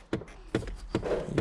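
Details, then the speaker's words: Long-parked car after battery charging/new battery: sharp plastic clicks about two and a half per second from a blend door actuator that keeps cycling; suspected of draining the battery. "Okay, we've got a blend door actuator clicking."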